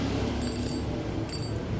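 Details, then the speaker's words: Fishing reel (RX King) clicker modified with three parts: chain-plate piece, L-shaped steel wire pawl, tripled-necklace-wire spring; spool turned by hand gives two short bursts of fine, rapid, crisp clicking; clicker ratchet works normally. "Ya, asal terdengar aja. cukup [musik] enak renyah."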